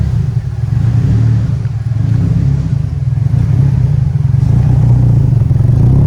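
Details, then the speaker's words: Turbo Nissan Silvia S14 Rocket Bunny race car, 144,000 km, just after cold start: cold-start tune enters lump mode, a deep uneven loping idle swelling and dipping at low revs, which smooths out as it warms; lumpy idle from cold tune. "It's going into the lump mode now. It's pretty funny. It smooths out once it warms up."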